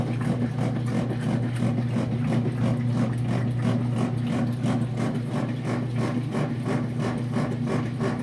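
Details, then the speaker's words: Kenmore 500 washer, model 110.29592801, on delicate cycle with just under medium load: rough pulsing grind about three times a second over motor hum while agitating; clothes wrap around agitator; no grinding on spin. "We're getting a grinding sound while the washing machine is on."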